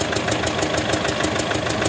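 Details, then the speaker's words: Mitsubishi Strada Triton diesel, hard starting and white smoke: at the oil filler, a sharp regular puffing tap about six times a second with heavy smoke, crankcase blow-by; suspected leaking injector letting oil into the combustion chamber. "Nah jadi disini kita lihat untuk bagian pengisian oli itu keluar ya suara tepuk bobot dan asapnya banyak"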